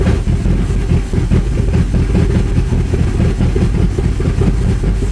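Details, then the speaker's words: Porsche Cayenne GTS, abandoned then repaired for a month, restarted: a loud open-pipe V8 rumbles unevenly with lumpy pulses and revs that rise by themselves without throttle input, and some smoke appears. Rough running and surging idle; cause not yet known. "Okay, that was, I don't know, doesn't felt that good. And I didn't do anything. It felt like it was pushing the throttle, but I didn't."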